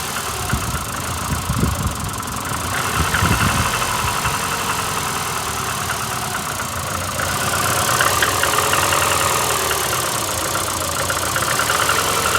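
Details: VAZ 2115 8-valve, cold: shaking, stumbling idle with a faint knocking rub; head gasket at cylinder one blew a week ago, coolant and 5W40 oil changed, valves adjusted three months ago, check light on, owner suspects worn valves. Rough misfiring idle.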